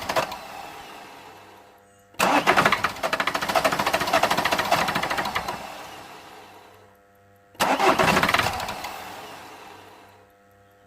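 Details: 2008 Vauxhall Corsa 1.3 CDTi (Z13DTH) with an intermittent no-start and no codes, cranked without easy start: two long runs of even cranking at about 3–4 beats per second, and it never catches. Fuel pressure is present, so the injection system is suspected.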